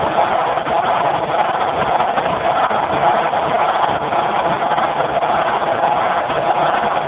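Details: Generator converted to natural gas with solenoid safety shutoff valve, phone mic with poor audio: steady even drone, one note, no surging or misses; runs smooth, normal running.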